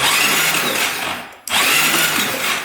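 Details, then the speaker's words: 2012 Honda Rancher 420 4x4 ATV, cylinder lubed with Marvel Mystery Oil: the starter cranks with a strained, gritty whir, then spins better with repeated tries; corroded starter brushes are suspected. "all right spins over a lot better let's just keep doing that for a little bit get that starter working"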